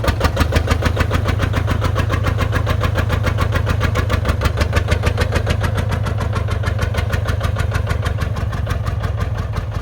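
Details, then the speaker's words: John Deere 830 Industrial two-cylinder diesel, belt-pulley started by another tractor, first run in at least 20 years: uneven chuffing about 140 beats a minute evening out as number one cylinder begins firing. Misfire clearing. "Hitting on two. Did you hear that? It's a lot smoother now. So that number one cylinder is firing now."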